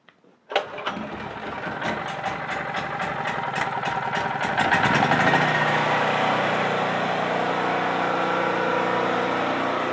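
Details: Used Champion C46540 generator after a tune-up with cleaning, oil change, new spark plug and oiled air filter, choke open and primed: fires on the first pull and settles into a steady, even run with no misses, healthy.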